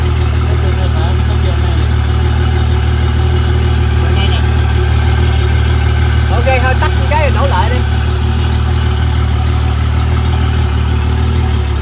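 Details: Honda 250HP outboard on a 21ft boat with a fully charged battery, which had failed to start because of a missing ground. After jumping the ground, it idles with a deep, steady hum, with no misses, knocks or surging. The fix is to clean the battery ground connections.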